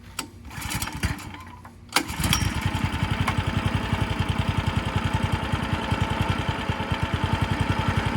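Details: Tiller single-cylinder engine just after a carburetor replacement, started on choke: once it catches, it settles into a steady, even putter with no misses or knocks; a healthy small engine.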